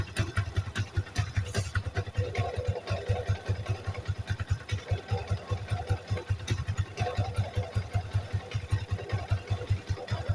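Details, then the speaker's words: Yamaha Vixion (NVL) single-cylinder at idle: loose, uneven clatter over the pulses, about two to three a second, changing with the clutch lever; clutch-side rattle, mechanic suspects worn clutch parts, not yet confirmed. "di kopling timbul suara kemrock akan kita eksekusi"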